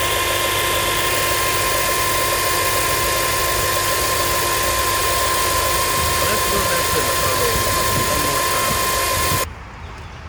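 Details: Comparison pump with no problems at idle: even idle with faint steady pump hum, no rising whine or groaning, a healthy power steering pump.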